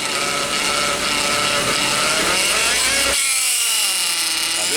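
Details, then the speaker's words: Hyundai Veloster automatic transmission, oil last changed at 20,000: wavering cat-like whine climbing and dropping as the pump draws oil mixed with air; aerated-oil pump whine, transmission to be removed for inspection. "vocês viram o barulho que faz parece que tem um gato né não está gerando um ar dentro do câmbio é uma bomba né só que ela de vez de puxar óleo está puxando óleo com ar girando esse ruído"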